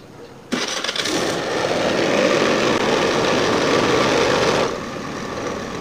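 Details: Old Honda Scoopy FI scooter on centre stand, throttle body before service, idle screw being adjusted: catches and runs at a fast, uneven idle for about four seconds, then drops lower; idle won't come down, air leak past worn throttle body.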